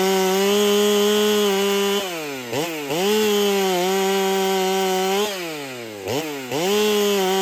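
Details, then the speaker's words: Ported Holtzfforma 395 chainsaw, first test cut after build changes: a high two-stroke scream that bogs in the cut and recovers. Owner feels it runs a little worse, cut RPM about the same, rings possibly unseated, carb fattened. Loss of power under load. "Personally, I think I got a feeling it's running a little worse. But we'll have to do the side-by-side to find out. I can tell you no great changes in how fast it's cutting."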